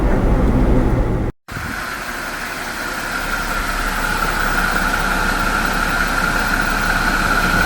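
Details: 2025 Jeep Wrangler Pentastar after replacing the PCV valve with the new-style one: a steady, even idle hum with a faint constant hiss. The earlier squeal or chirp, an air-movement noise, is gone.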